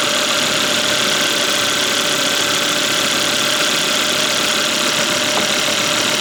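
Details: Volvo (S60/S80/V70/XC70/XC90 family) after replacing the drive belt and its tensioner, which had a small noise from the tensioner pulley: engine settles into a smooth, even idle with a steady hiss and light whir, no squeal, knock or belt chirp; healthy.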